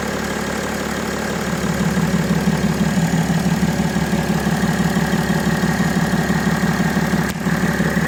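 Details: BMW E90 325d/330d M57 diesel idling after the accessory belt was replaced with the original-type belt: even idle with a steady two-per-second beat and no squeal or chirp; noise gone, though it may return.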